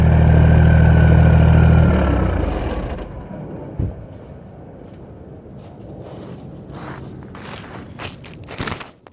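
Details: Straight-piped 6.7 Cummins 2nd-gen swap with S467 turbo, 5-inch turbo-back exhaust, ~700hp build: loud, deep, even idle rumble for a few seconds before fading, healthy.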